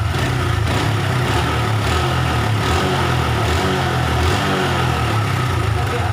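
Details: Honda Revo after replacing faulty regulator/rectifier (kiprok) that stopped charging, charging now about 13–14 V: steady even low putter at idle, no misses, surges or knocks; normal idle.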